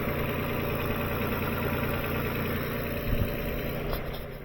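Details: 2007 Lexus ES 350 with ECU-controlled charging, idling during a DTC scan after a battery drain: an even, steady low rumble with no knocks, misses or rattles. Normal idle.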